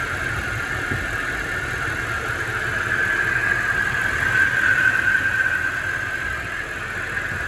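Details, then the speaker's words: Mercedes AMG SUV with M156 engine at idle: a steady high whine over the idle hum from the power steering. The reservoir has been replaced, the idler pulley is new, the fluid was cycled and Lucas power steering additive added. Noise persists; the pump may need replacing. "I'm gonna try to swap out power steering fluid, so I can definitely still hear that thing making a bit of noise. And I know there may be a chance I just need to replace the pump, but I'm hoping that's not the case."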